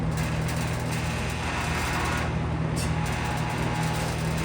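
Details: McGraw Edison Comfort Fan owned since 2007, restored, with a wobbling, previously slipping hub and well-oiled motor, run outdoors in wind; steady low electrical hum with a whirring rush on top, likened to an old arcade game; motor hum, cause unconfirmed.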